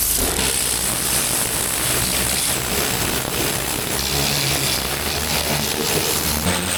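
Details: Vintage David Brown 990 diesel tractor, revived after 20+ years abandoned, clutch freed: steady even clatter with strong low rumble, no knocks or misses; running sweetly, engine seems in good condition.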